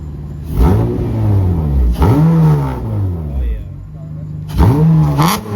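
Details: Acura TL 6-speed with a 3.7 swap, heard from the rear; idle swoops high, sags, then flares every couple of seconds, rising to about 300; surging idle attributed to a faulty throttle body.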